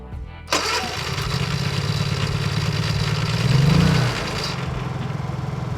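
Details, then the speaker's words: Honda EU3000iS/EU30iS generator with newly installed wireless remote system, started by holding the blue remote button a few extra seconds with choke: brief crank, catches on choke, swells then settles to steady even hum; normal start with choke. "Okay, so now we're going to test the middle blue button and we're going to hold the button for just a couple of additional seconds and hold the choke."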